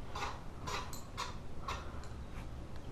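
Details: Dining room ceiling fan with a rhythmic scraping tick about twice a second, once per turn, over a low rumble; one blade is out of line, the fan shakes badly and wobbles, and it doesn't spin at all on low; cause unclear.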